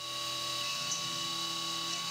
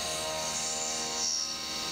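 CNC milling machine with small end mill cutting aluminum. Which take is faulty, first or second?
first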